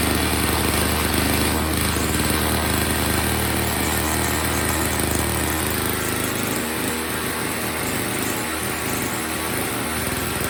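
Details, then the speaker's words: Old Snapper two-stroke snow blower, after a pre-winter service and a gas line replaced to stop a fuel leak, run with the cover off; crisp steady buzz with no surging or stumbling, settling cleanly when loaded, running great: normal running. "All right, she's running great."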